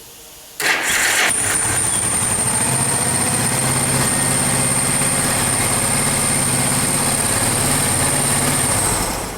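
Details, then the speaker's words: Yamaha Special 250 motorcycle with hard cold starting, after valve clearance adjustment and carburetor overhaul, low battery: short crank, catches right away and settles into a steady slightly high idle with an even beat; starts and runs fine. "bajarle un poquito al ralentí voy a esperar a que se enfríe y a ver si responde que ha rentado la verdad que ha rentado la perfectamente"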